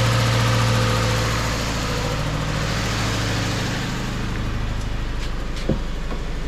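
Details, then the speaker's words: 2013 Subaru Impreza, first run after an engine swap for a timing failure: loud, lumpy, uneven idle with a massive misfire and heavy smoke; owner suspects the engine is burning oil, and it seems to be clearing up. "well we got it running didn't we poorly still get a massive misfire which is fun"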